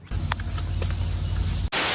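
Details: Class B RV: after a low background rumble, a steady loud hiss lasting a few tenths of a second as propane escapes from a cracked propane hose; a propane leak.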